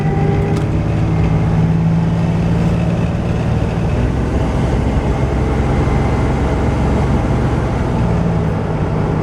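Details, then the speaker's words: Just-revived 1995 Cutlass Supreme convertible driving, 35 mph off-throttle because the throttle cable needs replacing. A steady low drone under road noise drops cleanly on upshifts; the automatic shifts normally, no slip or flare. "transmission shifts all right I got to do something about that throttle cable um it needs to be replaced but it's running it's driving"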